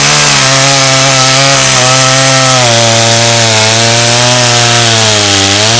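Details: Stihl 084 AV chainsaw, about 35 years old, rescued from the tip and repaired, cutting a slab from Australian red gum: a steady loud two-stroke howl holds high revs, slight sag under load, no misfire; healthy cut.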